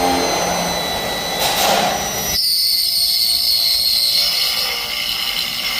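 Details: Hilti BX-BT stud pilot drilling into steel: the high whining cut drops suddenly to a thinner, steadier tone midway as the bit reaches correct pilot-hole depth, leaving a silver ring around the hole.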